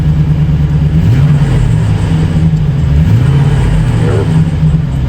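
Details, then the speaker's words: 2008 Chevy Silverado with a 4.8 LS V8 after repair of an intermittent misfire and power loss, no engine light; revs up and settles smoothly with a normal deep exhaust note and no stumble; fuel pressure checked at 55–60 psi. "up easy, no stumble. Listen to the exhaust. Normal sounding exhaust. Stumble's gone on the motor."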